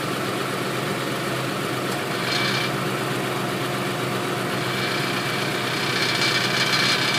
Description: Engine rattle experienced when car is idling around 1000 rpm. Noise is present when ac is on - but disappears when I hit the gas.